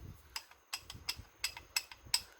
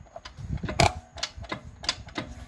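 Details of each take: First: Supposedly built GM 4L60E automatic transmission on the bench, a part turned by hand: sharp, light ticks about three a second. The reaction shaft carrier shows heavy worn grooves; ticking from worn internals. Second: 4L60E automatic transmission on the bench, input shaft turned with pliers. Light uneven ticking with crisp clicks and no grinding: the one-way roller clutch freewheels and ratchets normally.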